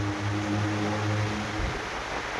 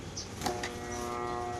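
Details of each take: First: Aica electric fan after repair, on speed 1; before repair it only hummed and would not spin. Now a steady low hum gives way to an even airy whoosh as the fan spins freely, working normally. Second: Ayica electric fan, owner reports it is stuck: after a brief knock, a steady electrical hum with no blade whoosh, motor energized but not turning; likely cause is shaft or bushing.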